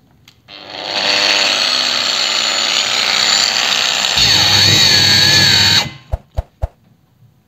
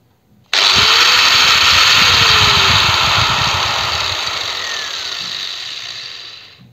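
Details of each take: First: Procraft PW 1100 ES 125 mm angle grinder on the workbench at speed setting 1 (minimum rpm) under load: steady whine drags lower, then cuts out abruptly. Overload protection tripped; the grinder was fine afterward. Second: Angle grinder, no load: snaps up almost instantly to a bright even whine, then winds down smoothly over several seconds. Normal run-up and coast-down.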